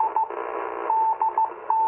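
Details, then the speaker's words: 40-plus-year-old Icom IC-251A 2-metre all-mode rig receiving a beacon via a 21-element Yagi: a keyed tone near 900 Hz over a steady raspy buzz, power line interference picked up by the Yagi. "Hear a little power line noise in there. Hear that buzzing? That's a little bit of power line noise off the Yagi."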